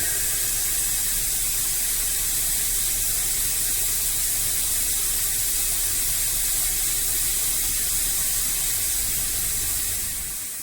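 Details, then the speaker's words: Renault Scenic diesel running with DPF pressure sensor hose disconnected: loud constant hiss over low engine rumble as exhaust blows from the open pipe; wouldn't run at all with it connected, back-pressure about 1557 mbar, DPF blocked. "it should be seeing some sort of pressure because of cousin you know guys like this can I put it you can really hear that I mean this wouldn't even run at all before it if I have that thing connector"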